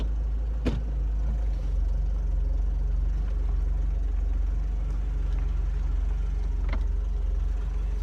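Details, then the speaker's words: 1999 Mercedes R170 SLK test drive around the block after new rear discs and pads and handbrake adjustment: steady low engine and road hum, no scraping or rub; earlier rubbing suspected from bad handbrake adjustment is gone. "sounds good before you could hear the rubbing and i suspect that was because of the bad adjustment of the handbrake"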